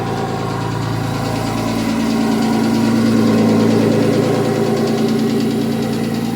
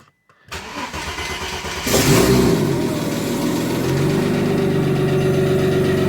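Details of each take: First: Audi S4 2.7 bi-turbo forged engine in a Porsche Boxster, after engine work replacing a bad lifter, about a minute after start: steady idle with even low hum and faint light patter, no loud ticking; startup noise (suspected piston slap) gone, normal warm idle. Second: Audi 2.7T twin-turbo-powered Porsche Boxster, new forged engine, cold start after months with flat battery; cranks, catches, revs briefly, settles to idle with light fast tick following engine speed. Noisy lifter on cold start.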